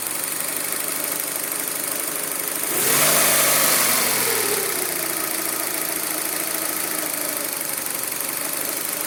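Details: Fiat Panda 1.2 petrol (60 hp) with unstable idle and misfire on cylinders 1 and 4: idle hunts unevenly with an irregular stumble about twice a second and a brief surge midway; rough idle from misfiring.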